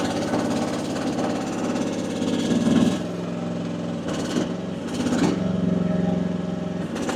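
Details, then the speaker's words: AGT WH12R 1-ton mini excavator diesel at low rpm, hydraulic relief set to 2,700 psi, digging: beat labours and sags as if about to stall, pressure likely too high: engine bogging under hydraulic load. "2,700 actually may be a little bit too high. May actually have to come back down. Let's find out. Hear that? Hear how it's wanting to die?"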